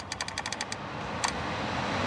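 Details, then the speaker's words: Audi TT heater blower motor after repair, refitted: a few clicks then smooth, steady airy whir building evenly with no scraping or ticking; working properly. "I don't know whether you can hear it, but that motor's working beautifully now."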